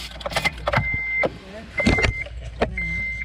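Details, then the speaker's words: 2008 Honda Element heater blend door after cleaning and greasing, switched hot to cold: short even actuator whirs at steady pitch, no catching or clicking, now moving freely where the heater wouldn't get hot before. "okay turn to hot cold okay good and it's moving good there yep no slowers because it takes a minute or two to go man that's moving really well now"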